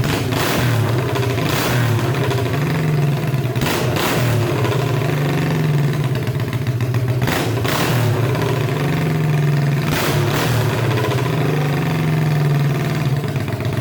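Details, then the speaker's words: Honda CB350 basket-case twin, open pipes, after fixing the weak coil power wiring; loud, idling evenly with several sharp throttle blips that pick up and settle cleanly, both cylinders firing. Normal running. "this thing is freakin awesome I just had a combination of just a few little wires I just had some wires around no big deal and now it's running just awesome"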